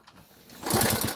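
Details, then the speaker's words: Delta moped, cold start with petrol refilled from the bottle: kick-cranking gives a few uneven chuffs that never catch; cranks but won't start; owner suspects fuel not reaching the engine. "Ну зараз подивимось, що воно дасть. Поки що не заводиться."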